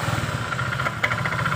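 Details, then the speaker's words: Honda Vario 125 (second generation facelift) CVT after service that cured a rough rattling noise, test-run at steady revs: even, smooth belt-drive drone with no rattle, slap or grinding; CVT running normally. "Coba kita dengarkan dulu di bagian CVT nya ya Nah ini suaranya sudah halus ya layaknya seperti pernah"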